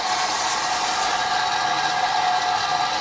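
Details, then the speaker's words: 2013 BMW E70 X5 xDrive35i with collapsed rear air suspension, ignition on. Loud, steady droning hiss from the air compressor, with no air output at the disconnected lines: compressor runs but has failed mechanically inside. "and it is coming from the air pump so right away you can see there's something going on with the air pump"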